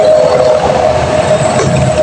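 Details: Honda Beat FI scooter that died suddenly while riding and won't restart: starter spins fast, light and evenly with a steady whine and no compression strokes, a loss of compression.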